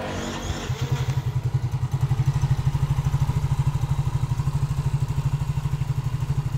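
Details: Yamaha Mio J scooter, smoking problem repaired, test start to check engine oil rises to the head before closing the cover: small single settles into steady, even low thump about two beats a second, no knocks or rattles; oil flowing, running normally.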